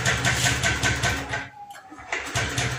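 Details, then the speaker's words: Honda Scoopy ESP FI automatic, normal before tank draining/cleaning, now won't start; starter cranks in quick even beats, pauses, cranks again without catching; fuel pump hums at key-on; clogged injector. "Nah, teman-teman, di sini motor bukan berebet, Pak ya. Motor mati. Gas. Di sini motor tidak bisa menyala, Pak."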